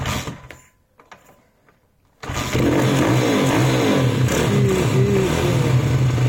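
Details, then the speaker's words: YCF SP1 150cc pit bike just fitted with a Keihin PE 28 carburetor replacing a Mikuni VM 24, no adjustment yet; catches about two seconds in, lumpy, raspy idle with wandering pitch; idle is poor and must be raised and tuned. "Mais le ralenti, pas bon. Là, on sent qu'il faut le régler."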